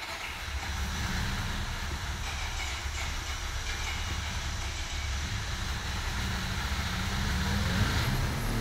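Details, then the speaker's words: Mazda RX-8 rotary engine freshly rebuilt at a rotary shop, first start, with assembly lube burning off as smoke: steady, even low drone with no knocks or misses; a smooth, healthy idle. "oh my god how smooth is that sounds that is so smooth"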